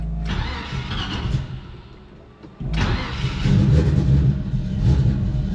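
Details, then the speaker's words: Carbureted vehicle that has sat for a while and needs to air up: it cranks, catches and settles into a steady low idle after a brief stumble. It sounds good and runs fine. "sounds good all right we're going to have to let this thing air up for a minute"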